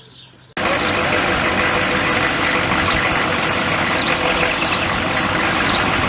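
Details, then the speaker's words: Truck that kept dying now and then, after work at the fuel tank (straps, protective shroud refitted), on return from test run: steady even engine roar with no stumbling or cutting out; running normally. "Bill just got back, taking a test run, and he made it back home, so I guess it's working good."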